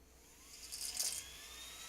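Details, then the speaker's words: Heat gun running with a hissy whine and brief choppy rattle as its poorly made, vibrating fan rattles against the heating element; possibly not thermostatically controlled. "you can hear it rattling first of all and that's that's rattling against the the heating element"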